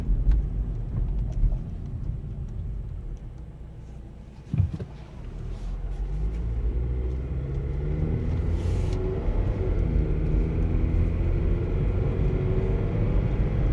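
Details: 2012 Nissan Versa, 89k miles: low, heavy rumble swelling and climbing in pitch under throttle, stopping as soon as the gas pedal is released; cause unknown.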